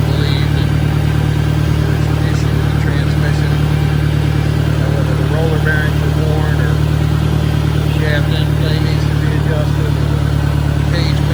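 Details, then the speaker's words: 1965 John Deere 1010 tractor (less well maintained) transmission across first, second, third and reverse: steady engine with busy gear hum and chatter, noisier than a 1963. "1965 not so wellmaintained the noise level coming out of the transmission in first second third and reverse"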